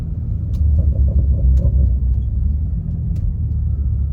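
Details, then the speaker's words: 2020 BMW M340i after repairing a separated charge pipe (no boost), exhaust valves open, revved to about 3,500 rpm: deep, smooth exhaust rumble swelling and easing with no rattles or misses; sounds healthy. "All right. Sounds pretty good. That's about 3 and 1/2 K."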